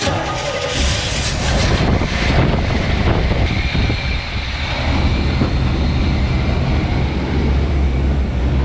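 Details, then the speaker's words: 350 V8 with TH400 transmission in a 1953 Ford C600 cab on GM P30 chassis, first run in at least eight years: catches, revs briefly, settles to a steady even rumble with no knocks or misses; timing close, idle slightly low, fuel leak noted. "first time that that engine has run in like i don't know it's been at least eight years sounds good timings pretty close idle should maybe be bumped up"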